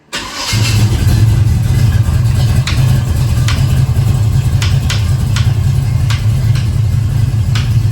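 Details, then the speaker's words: 1970 Chevelle after a big-block V8 swap and a new oil filter; heavy loud idle with sharp knocks at uneven intervals, not like rod knock, seemingly from one valve-cover side; a stuck or bent rocker is suspected. Knock on startup. "but it's like knocking and it's not like a rod knock. It's It's like something's interfering and I'm not sure what that would be."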